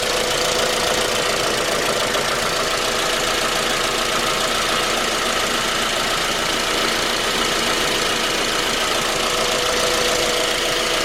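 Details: Suzuki J20A engine, 2010, cold idle: steady, deep knock about three to four times a second under the engine noise. It appeared at 10,000 km and grew after oil changes; cause was a scored crankshaft journal on cylinder 3.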